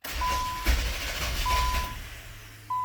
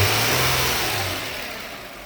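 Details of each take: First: 2000 Nissan Maxima, 118,000 miles, no codes, intermittent hard start: a key start where the fuel pump is heard kicking on, then the starter churns under a repeating chime but never catches. Security light is off; cause unknown. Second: 2000 Nissan Maxima, 118,000 miles, no check engine codes, with a hard-start complaint: running now, a short rev drops back smoothly and the engine runs quietly and evenly with no ticking, knocking or misses.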